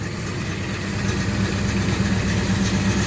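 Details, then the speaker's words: 1967 El Camino with a 427 big block and MSD Atomic EFI (about 100 miles since install), cold first start of the morning at 62 degrees: deep, steady, loping V8 burble that settles evenly; healthy cold idle. "right now it is cold so let me show you the uh temperature 62 degrees this is the first start in the morning"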